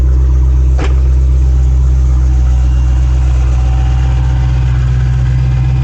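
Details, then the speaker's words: Hellcat Challenger V8 idling after spark plug replacement: deep heavy burble, steady and even, no misfire or stumble. "sounds like it's running pretty good you can't drive it because it's missing a wheel"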